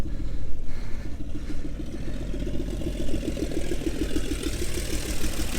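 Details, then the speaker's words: 1961 Chevy Bel Air 235 inline six, off the road since 1981, idles with steady even low rumble, no knocks or misses, after new gas tank and starter switch; radiator has no coolant and a bad hose; healthy idle. "and there you go she's running and idling if you want to shut it off there you go"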